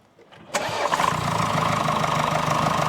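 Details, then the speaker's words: 2020 Mercedes GLE W167 2.0-litre bi-turbo, 245 hp, about 175,000–185,000 km: quick idle with a sharp puffing tick of exhaust gas escaping under the exhaust manifold gasket at cylinder one, soot visible; fix requires engine removal. "Listen to the exhaust gases on the exhaust manifold. 185,000 km mileage, and the blow-by is under the exhaust manifold."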